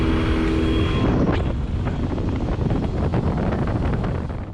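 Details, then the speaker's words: Yamaha 25HP EFI four-stroke outboard cruising at barely half throttle, 20.4 mph by phone GPS: steady, even drone under wind and water rush with no misses or knocks; healthy cruising. "in this next clip notice his throttle position it's barely halfway open then i turn the camera to my phone gps and it's reading 20.4 miles per hour so it's an ideal cruising speed with a half open throttle"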